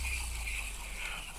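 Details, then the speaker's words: Spinning reel turned by hand: faint steady high-pitched gear whine over a quiet background, normal and characteristic, also heard on Stella reels. "I wonder if the mic picks it up you hear that that higher pitch I"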